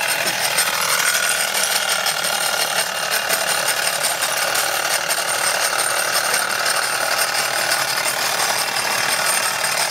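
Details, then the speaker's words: Wilesco D415 steam tractor kit on its first live steam run: fast continuous metallic rattle over steam hiss throughout; owner suspects the drive wheel, not confirmed. "I think that sort of vibration noise I think he's the the drive wheel here I think that's what's I think that's sort of rattling that seems to be making that noise"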